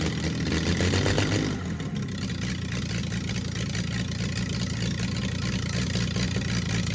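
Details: Freshly rebuilt Triumph TR6 six, head shaved 60 thou (about 8.4–8.5:1 compression), first start cold on choke with carbs still unadjusted: fires and holds a raised, slightly uneven, wavering speed; rough cold running, cause not confirmed.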